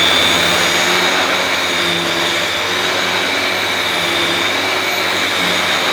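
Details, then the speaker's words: Dyson DC21 Motorhead vacuum powerhead running on carpet after cleaning: smooth, even high-pitched whir with a steady brush hum, less rattly than the DC23's powerhead; running normally. "that sounds better that power head sounds better than the DC 23 s not as ratalie"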